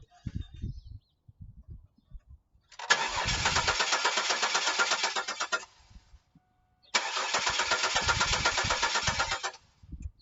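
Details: 2000 Chevrolet Camaro convertible 3.8 V6, 106,000 miles, died in an intersection: two bursts of even starter cranking about four turns a second, never catches; crank no start, owner suspects fuel pump.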